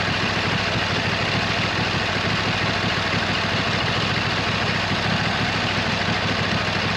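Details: 26 HP Kohler V-twin on a lawn tractor, at idle just after fitting new OEM Kohler ignition coils to cure a long-running intermittent misfire on one cylinder; steady, even rumble with no misfire or stumble; not perfect yet but running far better than before.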